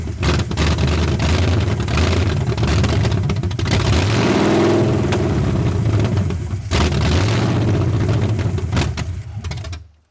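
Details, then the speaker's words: 1981 Ford Mustang 5.0 carbureted V8, parked since 1996, fed by a temporary electric fuel pump: hunting, surging and sagging, then stalls rather than idling; a big vacuum leak is suspected, possibly the carb gasket, or distributor timing. "This thing has a horrible vacuum leak somewhere. Give me a few minutes. I'm going to see if I can find that vacuum leak."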